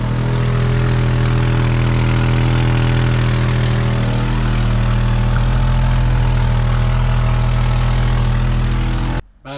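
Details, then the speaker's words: Ford XF Falcon ute, abandoned in a farm paddock and revived, idling loud and deep with a raw, rapid puffing blat from a horrendous exhaust leak; what look like little holes in the exhaust are spot welds. "it has a horrendous exhaust leak de said 't listen to this thing"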